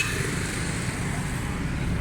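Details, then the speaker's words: 2006 Daihatsu Cuore after repair: carburetor serviced, wrong Radium plugs and faulty vacuum pipes addressed, advancer had not been working. It now holds a steady, even low idle with no misses, knocks or hunting; sound and pickup are perfect. "इंशाल्लाह गाड़ी का sound, pickup, silencer, हर चीज़ perfect है।"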